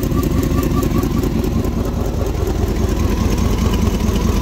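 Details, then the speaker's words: 1999 Dodge Durango SLT 5.9 L Magnum V8, first start after sitting 14 years, old fuel: loud lumpy idle with irregular stumble, misfire from a bad spark plug wire visibly arcing. "I hear a spark plug wire arcing over here somewhere so yeah that one right there I see a bad wire it's arcing off right there"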